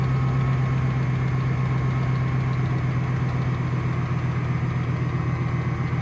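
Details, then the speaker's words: 1500 truck, 5.7 L engine, 270,000 miles, pulls 4–5 tons; started just after a synthetic oil change with oil stabilizer. Faint clicking at about four per second sits over a deep idle hum, present for 3 years, origin unknown. "Hear that little clicking? There's a little bit of clicking. Had that for 3 years."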